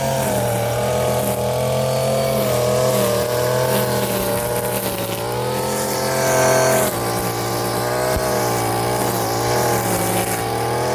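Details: Warm Stihl FS 56 RC trimmer, after 20:1 mis-mix and cleaning of muffler screen and spark plug: buzzy note holds steady and rises cleanly with throttle, no stumbling or cutting out; runs healthy.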